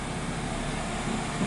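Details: 2013 Nissan Rogue, about 109,000 miles, towed in with no forward or reverse and code P0746: in reverse with the pedal floored, a flat idle rumble that never climbs. The engine stays at idle under full throttle.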